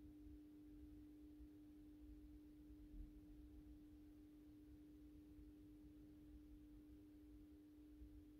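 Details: AEG Minikoffer West German post-top mercury vapor streetlight (80/125 W) on its first startup after rewiring per the ballast schematic, 125 W Osram Deluxe bulb. Faint, steady low hum at one pitch, no buzzing or rattling, during warm-up: normal ballast hum.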